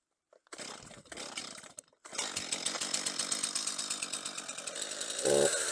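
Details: Stihl MS 231 chainsaw after sprocket replacement, test run with bar, chain and cover refitted: a few starter pulls, catches and fires evenly at steady idle, picking up slightly at the end; runs clean, normal running.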